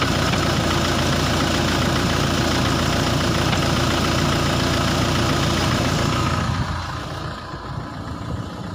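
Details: Renault Laguna 2 at idle: steady idle with a regular low knock about three to four times a second, fading as revs drop; dual-mass flywheel knock.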